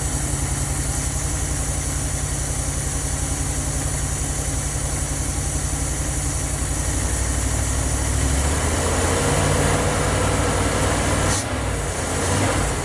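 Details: 1977 Dodge van 318 V8 2bbl after mileage/horsepower rebuild with changed air intake, first cold start, idling in gear: smooth even low rumble, steady beat, quiet, no knocks or ticks. Normal idle.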